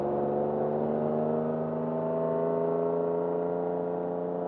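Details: Off-road GMC Jimmy S15 truck on the road: a steady whirring drone with several tones rising slowly as it pulls. The transmission feels like it slips going into third. Driveline whine, source not pinned down.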